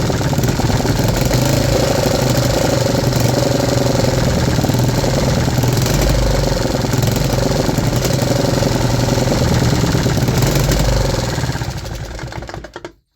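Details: 3D-printed 125cc single-cylinder four-stroke engine after vacuum-leak fixes including O-ring valve stem seals: regular thumping beat with no skipped firings, no more misfires, running smoothly until shut off.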